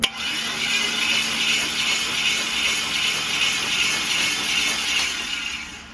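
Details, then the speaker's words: 1972 El Camino LS swap cranked with a jump starter: steady, even starter whir with no knocking and no more marble-like internal noise, though the flex plate wobbles. Normal engine cranking without starting. "Okay, now you guys can hear it's nice and it's it's it sounds normal. The internals sound normal. It doesn't sound like marbles anymore."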